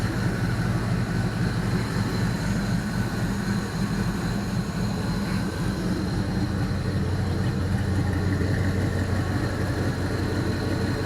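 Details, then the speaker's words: LR4 4.8L Gen 3 LS rebuilt after rod bearing issue with new lifters, bearings, cam, cam bearings and reman crank, just started and warming, about 700 rpm, 40 psi oil, 37 kPa MAP: smooth quiet idle, no knock or tick, injectors audible; healthy. "And it's quiet as a sewing machine. With all those new parts, we got new lifters, new bearings, cam bearing, cam, bottom end crankshaft is reman. So, I mean, it sounds like it should. You can hear those injectors firing."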